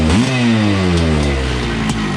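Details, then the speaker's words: 1980 Honda CR250 Elsinore two-stroke, restored and first started in a decade; still cold, air screw backed out one turn. A sharp blip lifts the revs, which fall back smoothly to a good idle with no bogging or misfire; crisp, responsive, normal revving. "Still cold, but oh man, that thing sounds great. Pretty responsive too. I'm surprised."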